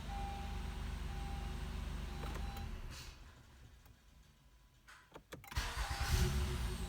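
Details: 2015 Honda Accord V6 after fix for starter grinding at the flywheel (previously a zinging crank): engine runs, shuts off, then a few clicks and a quick clean crank into a start with no grinding.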